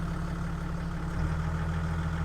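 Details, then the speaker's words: Deep idle of a 1995 Toyota Land Cruiser 4.2 turbo diesel with 174,000 km that shifts tone and firms up slightly as the A/C compressor clicks in and out, changing the revs: normal. "Okay, you can hear the aircon clicking in and clicking out. It's making the revs change on it."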